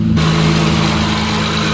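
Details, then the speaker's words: 2006 Mitsubishi Eclipse GT just after installing RRE front and rear headers: steady, even idle with a deeper exhaust note, no knocks or misses, light smoke from burning grease. Normal idle. "It sounded a little deeper. It did. It did sound. It sounds deeper back here."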